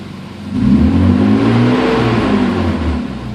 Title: Weird Noise M3